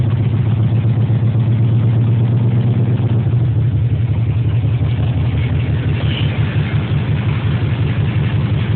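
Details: Jaguar XJS V12 after sitting about a year and a half, deep lumpy ragged idle running on only four cylinders due to bad injector wiring harness.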